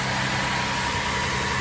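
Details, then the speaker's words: Cadillac CTS with replacement engine (previous engine had bad, loudly ticking lifters): steady, even idle with no ticking or tapping from the valvetrain; normal idle, engine sounds healthy. "you don't hear no ticking than that that guy sounds good bro"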